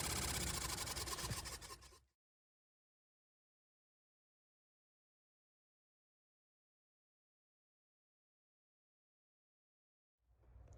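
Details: 2003–2006 Honda Element heater blower motor: rough, scratchy whoosh with an uneven rattle from leaves caught in the blower fan; fixed by removing the motor to pull the debris out.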